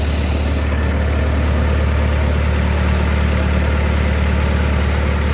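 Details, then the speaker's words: Lincoln SA-200 welder on a second-gen Dodge, at raised idle: steady even hum, regular beat, no misses or knocks; quiet, smooth, quieter than 2-cylinder Millers and Lincolns. "quiet, smooth running machine. A lot more quiet than the 2-cylinder Millers and the Lincolns."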